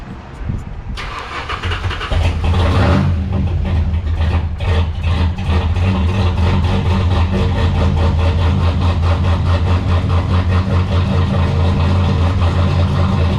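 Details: Drift car's newly assembled replacement engine, started cold just after being pulled into the garage. Cranks and catches, quick rev, then deep idle pulsing and stumbling unevenly without settling; rough cold idle, cause not identified.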